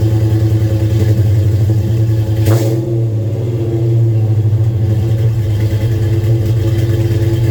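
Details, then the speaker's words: Dodge Charger Daytona with headers and Flowmaster mufflers at startup idle: a heavy, chuffing, uneven, old-tractor-like sound from exhaust leaks at the headers, less audible from the rear. "Although it doesn't sound very, it kind of sounds like an old tractor with the exhaust leaks off the headers, but you can't hear it too bad from the back."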